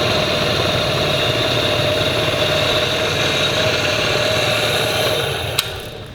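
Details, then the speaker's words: MG overdrive gearbox on a bench test rig at about 20–25 mph equivalent: steady mid-pitched whirring drone as overdrive engages, then winds down; overdrive operating normally. "you see here we're doing about 20 M an hour and I hook up our Overdrive come on there it goes we're doing about 25 23 24 maybe"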